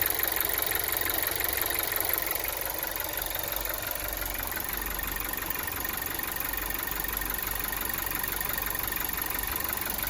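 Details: Volkswagen Golf 7 TSI at idle: steady idle with a light, fairly regular ticking knock about three times a second. Engine knock, origin unknown.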